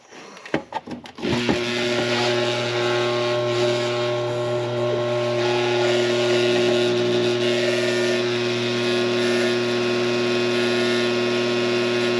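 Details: Coleman Presidential II furnace blower motor, cleaned and greased with synthetic grease, bench-run on a cord: click then steady hum with rough rattly drone; runs noisy, shaft has slack, owner suspects worn bushings.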